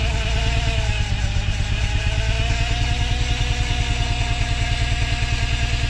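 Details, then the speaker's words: 1987 BMW 528e (E28), 4HP22 automatic transmission slipping after fluid and filter change, engine running with water coming from exhaust: steady mid-pitched whine over a rough low rumble; suspected clogged transmission filter. "We think we may have diagnosed what's going on with this transmission, and it could be just a clogged filter."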